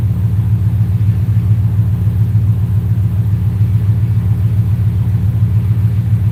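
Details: V8 (4.6) on a Terminator X V2 ECU, after idle set at 800 rpm with IAC at 42: deep, even rumble holding steady idle with no hunting, misses or ticks; settled and healthy.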